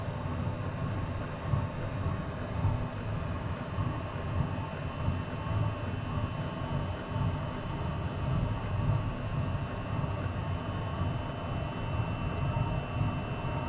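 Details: Chinese diesel heater on a 50/50 gasoline and waste oil mix, restarted with the intake blocked after shutting itself off; temperature rising from 42°C. A low, steady roaring rumble with gentle swells, no popping or sputter; the burner has lit and is burning evenly.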